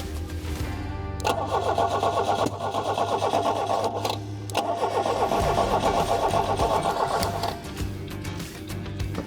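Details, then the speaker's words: Fiat 125 with 1.6 L twin-cam inline-four, first run after years sitting, new rotor and distributor cap fitted: uneven, lumpy, misfiring run with surging roar. Timing seems badly retarded, firing at the bottom of the power stroke with the exhaust valve open (suspected). "Yep. It seems like it's really retarded and it's firing at the bottom of the power stroke. That was what would caused that, because the exhaust valve's open."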